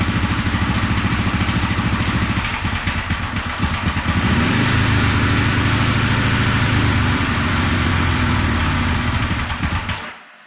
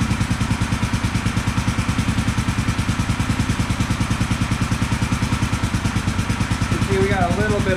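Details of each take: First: 1974 Honda CB450 twin, sat for years, start on remote fuel with timing light hooked up: uneven, sputtering ragged firing as revs rise and fall, popping through the carbs; ignition timing about 20 degrees off, later corrected with timing light. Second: 1974 Honda CB450 twin, after the ignition timing was corrected and the timing cover refitted, idles with a steady, even beat and both cylinders firing cleanly; slight left-cylinder smoke, expected to clear as it warms after sitting.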